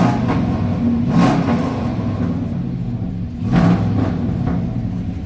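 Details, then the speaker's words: Dodge Ram truck with a 6.0 LS V8 swap and new shorty headers: deep rumble through two quick throttle blips, crisp response, some overrun popping; throttle is quicker after a timing change, and it sounds healthy. "snap crackle pop [ __ ] throttle responses way better than what it was two it's a little bit more quicker"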